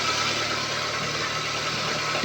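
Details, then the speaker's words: 2003 Toyota Camry that stalled when braking and would not restart when hot, after replacing a cut, air-leaking brake vacuum pipe: steady, even idle with no stumbling or dropouts under a constant airy hiss; engine running smoothly. "Pipe हमने दूसरा लगाया गाड़ी ठीक है चला कर भी check किया गाड़ी ठीक है"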